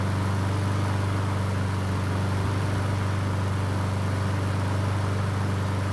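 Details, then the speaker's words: Honda HRN 216 mower after draining excess oil to correct level and manual fuel priming fixed no-start; steady, even low hum at constant speed with no stumbling or knocking; normal running. "so it looks like this mower is starting just fine and i do believe priming it manually with fuel cleared up any starting issues"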